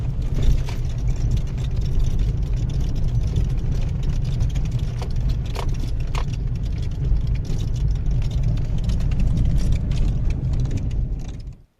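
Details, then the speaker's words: Mahindra XUV300 diesel, after 2 years and 50,000 km: light scattered ticks and buzzes over a low engine rumble from the dash, as torn foam packing lets the dashboard clips rattle; the owner calls it a manufacturing defect in every XUV300. "इस तरह तो वह click कीजिए बीच में form की packing लगी भी होती है वह पैकिंग इसकी पट जाती है यह हरेक बीच सेंटर का मैन्युफैक्चरिंग डिफेक्ट है"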